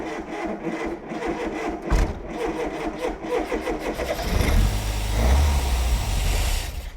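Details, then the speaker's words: Mk1 Ford Fiesta Super Sport barn find, parked about 20 years, full choke, out of gear, cold: four seconds of even cranking, then it fires, revs roughly with a little throttle for a couple of seconds and dies; nearly runs. "Nearly. Oi, Got a little rev then, didn't we?"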